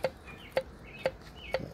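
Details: 70hp Johnson outboard, engine stopped: hollow clacks as pistons are rocked by hand, piston slap from out-of-spec piston-to-wall clearance, with cylinder scoring near intake ports.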